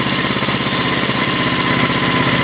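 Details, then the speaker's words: Small engine on an ice auger being serviced: buzzes fast and steady with a bright rattly edge; owner thinks it is idling a bit high and adjusts it down. "Sounds like it's idling a bit high."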